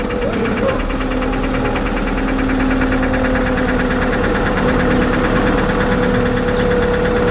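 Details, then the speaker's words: 2001 Toyota Highlander 2.4 L, jump-started after the battery light stayed on, idles with a fast, uneven ticking knock and a faint whine. A weird noise comes from under the hood; cause not yet known. "okay so now we can start the engine man this engine is knocking"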